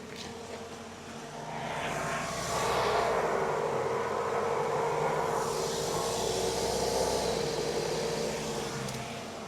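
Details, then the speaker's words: Vehicle on jack stands, front wheel spun to compare sides: steady droning hum that swells as the wheel spins up; worn right front wheel bearing, a sealed hub unit, to be replaced. "Okay, so I verified that it is the right front wheel bearing"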